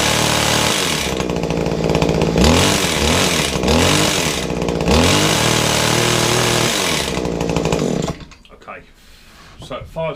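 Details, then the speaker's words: Kawasaki two-stroke hedge trimmer, primed and choked, gunk-filled: buzzes hard with loose metallic chatter and uneven revs that won't pick up, very smoky; rattle thought to be from the gears, muffler to be checked first. "it's not a well puppy it's got a rattling noise from the gears gear Samri rattling and it is terribly smoky it's not running right"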